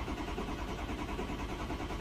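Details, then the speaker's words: 2006 Ford 6.0 Powerstroke with hot no-start and long cold crank, cranking: steady even compression pulses, never catches; injection control pressure stays very low and bleeds off from a high-pressure oil leak. "look at that pressure how low it is"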